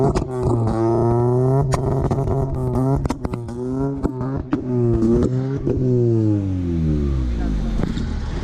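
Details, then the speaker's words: Honda Civic EF first start-up after build: engine held high in revs on the two-step limiter, pitch bouncing as sharp pops crack through rapidly, then falling away; healthy two-step limiter. "So, hey, that two-step actually sounds nice as... I'm not gonna curse on TV, but hey, I don't know how to express this."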